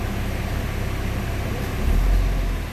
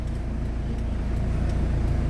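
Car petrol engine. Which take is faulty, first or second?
first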